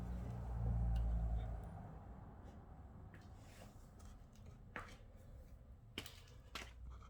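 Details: NordicTrack S10i bike, quiet room: sharp, irregular clicks about every second while pedalling, alongside a reported rubbing noise; cause unclear. Clicking noise.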